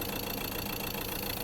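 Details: Ford Transit Custom long-wheelbase diesel with poor running, over-revving and a poor idle, plus an oil leak and the oil cap not seated: the engine bay idle is a steady, dense clatter with a slightly uneven low beat. The cause is unclear.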